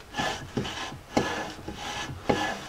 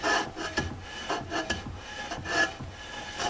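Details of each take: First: Rear drum brake on a 1999 Jeep Cherokee XJ, freshly cleaned, lubricated and painted drum refitted and adjusted; drum turned by hand gives a soft rhythmic scrape about twice a second, light even shoe drag, correctly adjusted. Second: 1999 Jeep Cherokee XJ rear drum brakes being adjusted: a soft scraping rasp about once a second as the drum is turned by hand shows light shoe drag; the adjuster could go a bit tighter, but too tight overheats the brakes.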